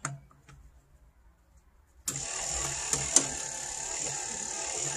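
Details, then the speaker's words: 1955 Chevy Nomad with newly installed electric windshield wiper motor: quiet, then steady high-pitched motor whir; motor runs fine but the dirty, sticking linkage cable barely moves, needing cleaning and penetrating oil. "you can hear the wiper motor working but this cable is just not moving enough thank you so there we go it's shut down right now"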